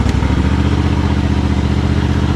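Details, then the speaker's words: John Deere GT245 with a 20 hp Kawasaki V-twin at 621 hours, warm, after its metallic tapping was fixed with routine maintenance: a smooth, even low thrum with no metallic ticking, and the valve train sounds quiet and healthy. "she's really quiet now, metallic noise wise. So that's a good thing."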